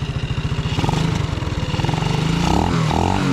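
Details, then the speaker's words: Custom Honda C90 built from spare parts, being run in, carburettor tuning: starts fine on choke but quick single-cylinder putter stumbles and goes uneven at low revs; hesitation off idle, unsure whether mixture screw should go in or out. "well it starts up fine yeah yeah probing out low down do you think I has to screw the screw in a bit or out yeah in or out"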